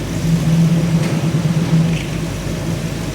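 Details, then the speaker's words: 1985 Chevy truck, previously stalling when put in gear, after carburetor rebuild with float fixed, new cap, rotor, coil, plugs and fuel pump; V8 in drive holds steady even burble without sagging or stalling, running smooth; normal idle in gear. "Start it, baby. It sounds good. It's running smooth. And what it was doing, when we put it in gear, it was dying."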